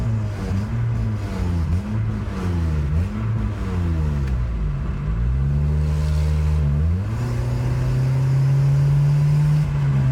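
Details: 2003 Nissan Sentra SE-R revving repeatedly: low rumble rising and falling with a loose, ragged puffing underneath that tracks engine speed, pointing to an exhaust leak.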